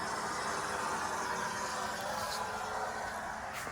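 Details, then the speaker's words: 2024 Ford F-250 Super Duty 6.7L diesel after oil and fuel filter change, ignition on, engine off: quiet steady electric buzz of the lift pump priming and pressurizing the new fuel filter; normal. "I can hear it pressurizing hear that that's it pressurizing that fuel filter right there"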